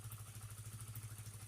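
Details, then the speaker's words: Honda CBR that stalled and hesitated while riding, now idling as an even putter with no misses after repair. Fuel pump and filter area cleaned, pressure steady at 40 psi; faulty spark plug cap temporarily fixed with wire strands. "Tekanan tetap stabil di 40 psi, semuanya telah dibersihkan di area pompa bahan bakar dan area filter juga, dan sekarang sepeda motor berjalan dengan baik."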